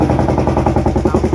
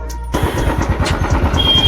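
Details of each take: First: Royal Enfield Classic 350 UCE BS6 single, noise appeared suddenly while riding the day before per customer; hard rapid even knock about eleven a second loudly over idle. Abnormal internal engine noise before teardown. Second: Royal Enfield Classic 350 UCE BS6 after engine repair and full master service, ready for delivery; before the work it had a sudden engine noise. It fires and settles into an even, steady single-cylinder thump at idle, no knocks or misses. Normal idle.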